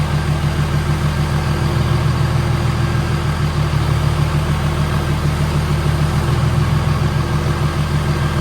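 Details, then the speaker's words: OBS Chevy truck with swapped 6.7 Cummins diesel, first start after build: deep, steady diesel clatter at idle, even and unchanging with no misses or knocks, no leaks; normal idle. "For the most part, the engine's done. So, purring like a kitten. Nothing pouring out underneath."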